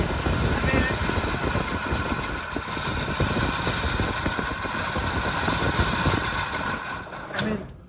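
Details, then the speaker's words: Pontiac GTO V8 on a lift, temporary hose fuel system, 7 psi fuel pressure, hand throttle: uneven, lumpy idle with irregular stumbles about four times a second; starving and misfiring on stale fuel. "thing's running like crap on that fuel but it's running it's it's jogging it's not really running"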